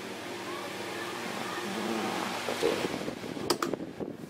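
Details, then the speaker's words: Desk fan repaired after a no-power fault, thermal fuse checked with a multimeter: smooth whir building evenly as it steps up to speed 2, no rattle or scrape; normal running. "Oh, kenceng banget ya. Oh, ini speed 2 tambah kenceng."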